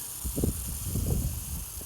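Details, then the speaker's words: Lawn irrigation after replacing a 1" inline Rain Bird valve and installing 4" Rain Bird 1800 pop-ups that previously wouldn't pop up from low pressure: steady soft spray hiss over low gurgling flow, even pressure, normal operation. "you could even hear the sound of the water going through so yep that is the sound of a job well done"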